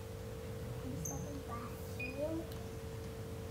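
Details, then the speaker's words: GX50B rebar locator and corrosion meter, sensor placed on concrete over rebar: steady mid-pitched beep signalling rebar detected, followed by a concrete cover thickness reading of 48 mm. "Ayo kita Bah tempelkan di bagian pinggirnya Hai sampai terdengar bunyi beep"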